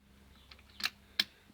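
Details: 2005 Kawasaki ZX6R 636 no-start: the key gives nothing at first, then the fuel pump primes normally. On the starter button there are two sharp dry clicks and it goes dead, with no cranking or firing.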